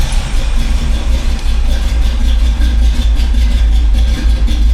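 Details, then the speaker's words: 1985 Chevy C10 cammed V8 with a new Holley 4160 Street Warrior 600 CFM electric choke carb, after the choke opens and fast idle is turned down: deep, low, steady, even idle, no misses or hunting; carb dialed in. "Oh yeah, dialed in good. Now I'd say we have this Holly carb pretty well dialed in."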